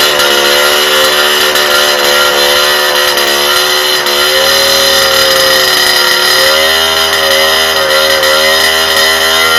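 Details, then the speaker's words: Rebuilt two-stroke cyclo (moped) engine after replacing the likely clogged original exhaust: sharp buzz climbs cleanly to high revs and holds, pitch dipping and rising again; pulls freely, the exhaust being the only change. "Bon, je pense que vous voyez la différence. Hein. Il prend ses tours. Et quelle est la seule différence? Le pot d'échappement."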